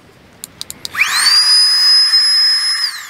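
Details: Flextail Tiny Pump 2X USB backpacking air pump inflating a sleeping pad: a few clicks, then a high whine that climbs quickly and holds steady before winding down; a little loud but healthy, normal pump operation.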